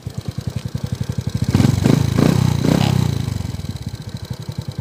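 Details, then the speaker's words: Suzuki Smash 115 (2017) after repair, both connecting rod bearings replaced and crankshaft aligned, road test: even idle thump about three beats a second, clean rev blip, no knocking from inside the engine; normal running. "y smot na ulit wala na yung maingay kanina mga ka br okay na wala na yung kumakalampag dito sa loob ng makina"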